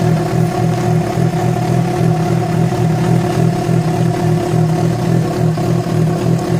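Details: Yamaha FZ6 with abnormal engine noise that began after riding about 70 km on two cylinders because of a failed ignition coil connector: steady loud run with a low thrumming drone and faint uneven undertone; cause not pinned down.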